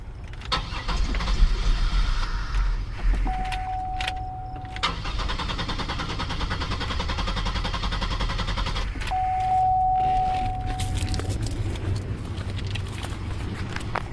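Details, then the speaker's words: 2002 Buick LeSabre 3.8L towed in with a completely dead battery, cranking steadily at a regular pace with no firing at all; crank no start, sounds like no fuel, fuel pump suspected, no fuel pressure increase seen when cranking. "that sounds like a no fuel"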